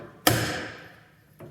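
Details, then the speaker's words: ARB air locker after fixing compressor airline leak, one sharp ringing pop then fainter click; locker engaging cleanly, normal engagement. "engaged you hear how that popped into engagement there"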